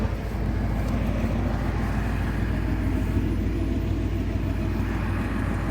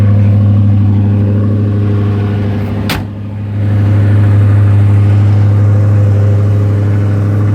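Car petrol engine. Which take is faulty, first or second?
second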